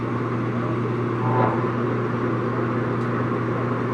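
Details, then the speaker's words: Longem LG26120C 26" x 120" gap bed lathe, ran only one job: smooth, even hum with steady low drone, no knocks or grinding; spindle sounds great, normal. "There we go. The spindle sounds great. So it's like I said this before, the machine was purchased by this gentleman, ran one job, and been there ever since."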